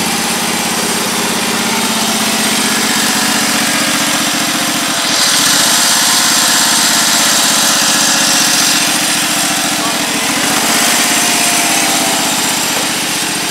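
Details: Husqvarna YTH1342XP 13 HP mower after fixing a bad PTO with a seized bearing, likely what stalled the engine: smooth, even engine note holding steady under load, no knocks, misses or grinding. Normal running.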